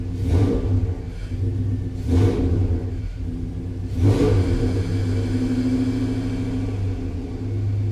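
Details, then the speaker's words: Chevrolet S10 with a newly fitted bigger intake: it idles higher until warm, and on three throttle blips the revs flare then sag back. Owner suspects too much air; a small fuel-line leak appears once pressure builds. "but you'll see when i hit the throttle it kind of like almost i don't know it's like it's getting too much air"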